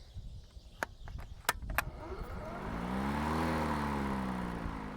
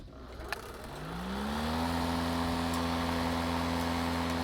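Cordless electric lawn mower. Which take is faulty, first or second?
first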